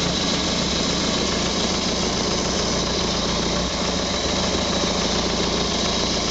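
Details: First start of a prepared Renault Colorale Frégate engine: steady, even idle with smooth hum, no knocks or misses; running cleanly.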